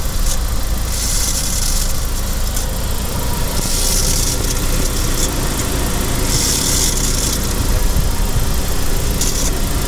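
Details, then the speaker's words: 2006 Saab 9-5 2.0t BioPower Vector at idle: a harsh metallic screech each time the clutch pedal is pressed, silent otherwise; throwout bearing suspected, turned out worse; fixed with new 9-5 Aero clutch, pressure plate and OEM slave cylinder/throwout bearing. "There was this horrific screeching sound coming from the clutch when you engage the clutch pedal. Listen to this."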